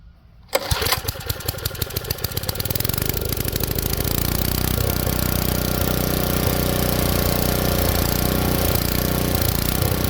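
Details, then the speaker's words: Tecumseh engine swapped onto an Ariens rototiller, choke off: pulls over, catches and runs, but speed hunts and won't settle because the main jet is too lean. Engine hunting from lean main jet. "it's usually because it's not getting enough gas flow so what I'm going to do now now is I'm going to start it up show you how it hunts"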